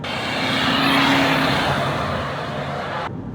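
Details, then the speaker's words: Land Rover Freelander 2 turbo diesel accelerating: a loud airy whoosh and humming whistle swell as the turbo spools from a blown boost pipe, with engine management light on and black smoke. "So, one of the biggest telltale signs I've noticed when I accelerate and the turbo is spooling up, you can hear like this humming whistle. Like it like a whooshing noise."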